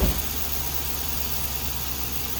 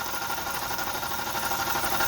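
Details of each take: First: 2002 Yukon after alternator replacement, dealer had claimed rod knock: smooth even low idle, no squeal or whine; noise gone, engine healthy. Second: 2002 Yukon idling in cold weather (about 15°F): steady whirring growl with faint tapping; dealer diagnosed rod knock, owner suspects worn alternator bearing instead and swaps the alternator.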